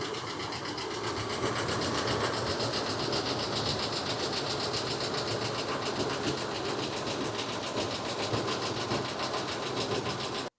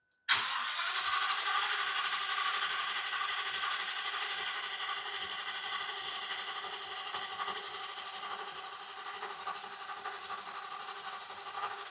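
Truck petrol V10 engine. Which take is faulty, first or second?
first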